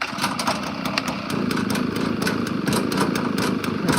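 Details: Honda lawn mower started at about 40°F on choke with a little throttle: it fires and holds a fast, choppy but steady patter. The engine is running fine.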